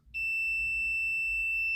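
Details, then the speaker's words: Multimeter set to continuity on an electric dryer with the power off: a steady high-pitched beep held unbroken for nearly two seconds once the leads touch, meaning no break; the circuit is closed. "If it has the setting or that function, you'll hear a beeping and that means that there's no break."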